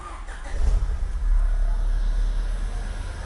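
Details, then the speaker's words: Honda Civic Estilo build with S80 LSD gearbox and open-air intake filter: quick start and short rev into a steady deep idle, only intake rush on top from the open filter, no knocking or odd noises; normal engine start. "Gue suka banget sama mesinnya, nyalanya cepet, nggak ada bunyi macam-macam. Ini cuma bunyi air filter doang karena pakai open air."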